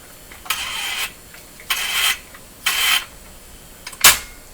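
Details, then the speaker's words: Bang and Olufsen Beocorder 2000 De Luxe tape machine: harsh hissing rasps about a second long roughly every second, rough noisy transport; owner suspects dirt needing cleaning; loud mechanical noise when running. "well doesn't doesn't that sound terrible look stuck stuck on here maybe i need to clean all this stuff here"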